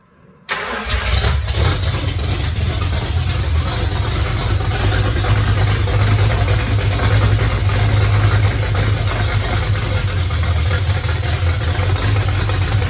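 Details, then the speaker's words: 1982 Ford Mustang 5.0 V8 with carburetor, second start after fan, water pump controller and tach adapter wiring, tuning not yet final: catches within a second and settles to a deep, steady burbling idle with no knocks or misses. "And I think I've got this carburetor set up a little bit so that it'll run here. I'll have to do some more final tuning on it. But let's go ahead and give it a start up so we can hear it again."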